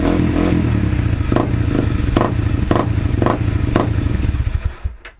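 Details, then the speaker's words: 2013 Honda CRF250L with new FMF PowerCore 4 and Megabomb exhaust, stock jet, no power programmer fitted: ragged single-cylinder idle with irregular sharp exhaust cracks and pops before it dies; backfiring. "Carrying on a bit, backfiring and all that, but that is going to be"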